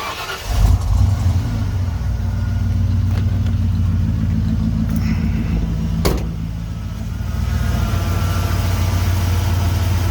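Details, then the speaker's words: 1992 Ford F-150, first start after power washing the engine; the check engine light was already on before. It cranks, catches quickly and settles into a steady, even idle with no misses or knocks: normal start and idle. "seems to be running fine let me back out of my carport here and we'll be able to see things a little better"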